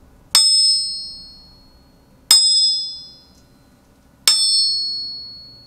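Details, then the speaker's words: Tap test on used crankshafts for a 1984 Toyota Starlet 1.3L engine being rebuilt: bright high rings dying within a second; this crank's ring fades faster than the others, possibly a crack or possibly oil on it, unconfirmed. "Вот из того, что мы наслушали, вот этот коленвал, он звучит чуть глуше. Не глуше, он звучит менее, как это, менее дольше. То есть вот это... Ну, он затихает быстрее."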